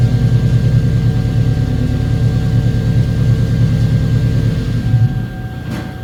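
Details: 2009 Chevrolet Silverado 5.3 V8, towed in cranking no-start with fuel pump not running, fuel pump driver module found water damaged: deep steady V8 rumble, starts and runs normally once communication restored.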